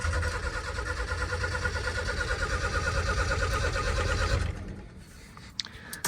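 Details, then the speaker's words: 1989 Ford F-150 XLT Lariat EFI barn find after power washing: starter churns about three turns a second for over four seconds but never catches; cranks, no start, owner suspects weak fuel pump. "I don't know maybe the fuel pump's weak on it I'm not for sure"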